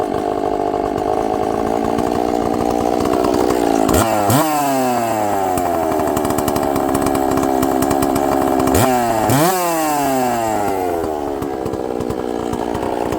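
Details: Chainsaw with good compression, after a little fuel on the bottom: a crisp two-stroke idle with two clean, quick revs up and back down, sharp throttle response, running evenly. The diaphragms are likely hard; it will need adjusting.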